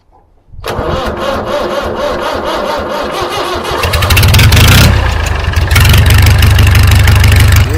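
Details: David Brown 990 tractor, bought as a non-runner, on its first start. It cranks a few seconds, then catches into a loud, steady diesel clatter at an even idle: starts and runs well.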